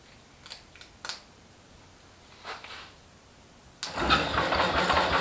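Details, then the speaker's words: International Harvester Cub Lo-boy tractor C60 engine, first start after rebuild with the oil pump primed, timing and carb not yet dialed in, smoking from assembly lube. A few cranking clicks, then it catches first try and runs steady; a healthy first start. "I was not expecting that to start that easily um that was that was the first start first turnover and it just lit right off"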